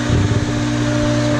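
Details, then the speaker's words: Newly replaced Hayward 1.5 HP Superpump pool pump running after priming: steady, even motor hum at constant pitch, no grinding or bearing noise, flowing well, sounds healthy. "we go we got our pump replaced that's flowing real nice I can hear the water flowing out in the pool"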